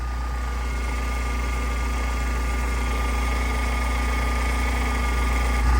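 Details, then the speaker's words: Honda Civic EG racecar, checked before an Oulton Park race: engine idling with a steady thin whine from the power steering pump after repeatedly turning the wheel. Sounding slightly better; fluid shows lots of foam, so air is suspected. "I've been running it and turning the wheel many times and it's sounding a little bit better, but yeah, you can see"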